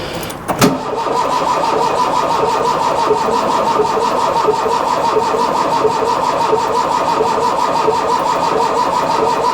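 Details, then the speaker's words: Mk1 Ford Fiesta Ghia 1.1 carburettor barn find, cranking after the slightly seized choke was reset to fully on; a steady, even starter whir with no firing, a no-start. "go no we've got nothing on there"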